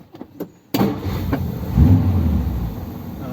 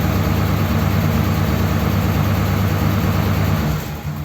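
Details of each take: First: Ford Thunderbird V8 started after standing unused for a long time, in neutral: catches quickly and settles into a deep, steady, slightly uneven idle without stalling; sounds a bit better than on first start. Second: Ford Thunderbird started after sitting unused for ages, nothing done to car or battery, no choke: low idle rumble with a slightly uneven beat, about three pulses a second, settling quieter; slightly rough idle.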